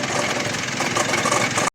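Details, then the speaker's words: Mitsubishi L200 diesel idling: harsh, busy rattle with faint whirring whine; after removing the belt, alternator shaken and worn bearing confirmed; damaged air filter also found. "Ito yung kanyang alternator yung nakita natin. Ito yan oh. Pag inalog ko siya. So confirm na yung kanyang alternator bearing mga ka-Gem."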